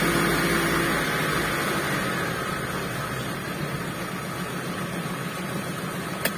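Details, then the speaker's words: T120SS injection engine, cold, after throttle body/ISC cleaning, recorded in rain: steady, even idle with revs dropping promptly from the cold fast idle as it warms; normal cold fast idle. "dan sudah dipastikan apabila suhu ya suhu temperatur semakin panas otomatis untuk posisi jarum RPM ya tempatnya jarum yang ini untuk Posisinya itu semakin turun atau semakin rendah karena untuk suhu di mobil ini masih dingin"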